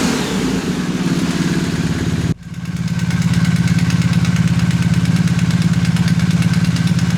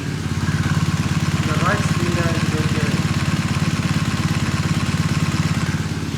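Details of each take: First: 2020 BMW R1250R after the left-cylinder timing chain tensioner was replaced with the updated longer 2023+ (19mm) type, torqued to 32 Nm: engine settles into a steady, even beat; the ticking is gone. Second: 2020 BMW R1250R boxer, warm, microphone close to the engine, original early (17mm) timing chain tensioner: light, fast, even ticking over the idle, only on the left cylinder; the owner considers it a normal trait of pre-2023 engines.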